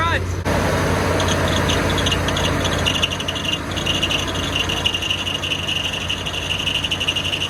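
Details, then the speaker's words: Chevy G30 RV engine running after alternator swap, battery disconnected: harsh scraping rub with thin squeal over the engine; pulley very hot, belt on wrong alternator pulley. "okay that don't sound [Music] good holy that thing is hot wonder if maybe I got the belt on the wrong part oh yeah that's what it was it needs to go back yeah I got my belt on the wrong pulley I think"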